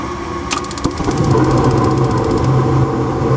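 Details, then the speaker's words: Ruud GPN 75,000 BTU 80% gas furnace on test with manometer on gas valve outlet: inducer hum, pressure switch click, burners light into steady roar; manifold gas pressure reads 3.75 in. water column, slightly high, to be turned down at the set screw. "looking at 3.75 she's a little bit High"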